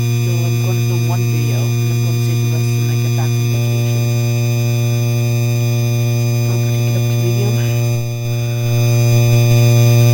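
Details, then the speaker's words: 52" Hampton Bay Landmark III Plus ceiling fan, described as the noisiest Landmark: a steady, hard-edged electrical buzz holds constant with the light on. The light kit is humming; the source is not yet found. "You could hear you could hear that buzzing noise up a little bit down. It's buzzing from the bathroom right now."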